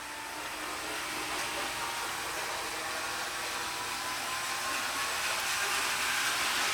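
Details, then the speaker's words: Seaboard Coast Line 1776 model locomotive from the Athearn lot on test track: initially vibrating with high current draw, then an even high-pitched motor whir picking up speed as it frees itself; current drops and it runs freely. "Let's get a little bit of a vibration going on. Pretty high current too. Okay, it's starting to sound better now."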